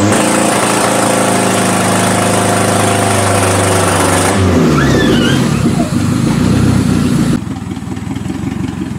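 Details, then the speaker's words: Toyota Camry demolition derby car after an electrical no-start, running with power jumped directly to the computer on limited wiring: rough uneven note stumbles when floored, then settles lower; hesitates under throttle, cause not pinned down. "when you Flo she kind of's got a hesitation so let's see how she goes"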